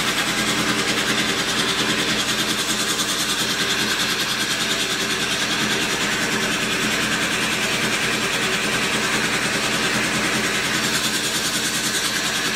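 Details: 1942 Cleveland 8-268A inline-8 two-stroke supercharged diesel driving generators, first start in 72 years: loud, even, fast diesel clatter at steady speed with no misses; running healthy.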